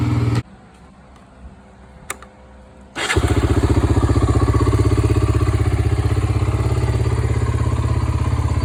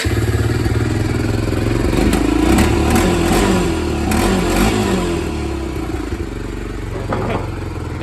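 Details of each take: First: 1993 Honda 300EX ATV (first year, electric start) after a revival and reassembly: the starter churns briefly, then the single fires and settles into a steady, even thumping idle with no misses. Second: 1993 Honda 300EX ATV, no brakes, won't run from tank: with gas tank removed it fires up on leftover float bowl fuel, single cylinder idling with slightly uneven, fading beat, about to die; tank needs cleaning.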